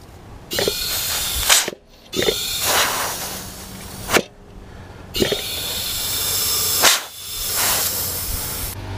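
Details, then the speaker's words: Front brake chamber on an MCI MC9 bus, fed shop air through the line: sharp bursts of air hiss out each time, from a leaking brake chamber diaphragm that was not functioning and is to be replaced. "all right so I'm gonna put air in here like this with this end and hopefully hear it leaking let's see how much hard it pushes"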